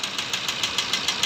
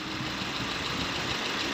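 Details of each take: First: Maruti Ertiga diesel (Quadrajet) at idle: sharp, even metallic knocks at roughly 400 a minute over a thin idle, a clear diesel knock; crankshaft is suspected but the cause is not confirmed. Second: Maruti Ertiga diesel (Quadrajet) idling: even clatter with a steady beat and no loud, sharp knock standing out; the engine sounds normal.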